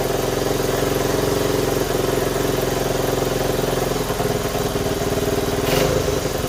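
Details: 1970 Honda Trail 90, previously non-running and said to have overheated: steady idle thumping then a few blips; lots of white smoke, owner unsure if it is burn-off.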